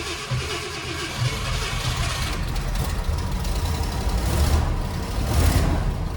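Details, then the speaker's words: Grandfather's 1966 Ford Thunderbird V8 with carburetor, cold start on a chilly day after pumping throttle, possibly over-fueled: deep rumble settles from an uneven catch into a steady low burble; normal idle after cold start. "Not used to a carburetor, I gotta admit it. Oh, but listen to it purr."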